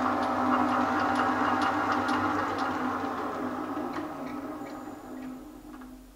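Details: Elliott 10M shaper at top speed after idler repair: even hum with a regular light tick around 220 a minute that never falters as it winds down, with a slight squeak possibly from the belt; running smoothly.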